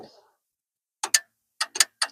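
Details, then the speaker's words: Non-running Infiniti Q50 S hybrid (HEV) with a fault code: after codes are cleared, the two battery contactor relays click sharply in quick pairs, so the relay control side is fine. The pre-charge side acts but the main relay doesn't switch in; module or inverter fault suspected. "nothing on that one and you can hear the two relays clicking so I don't think there's nothing wrong with the control side of the relay"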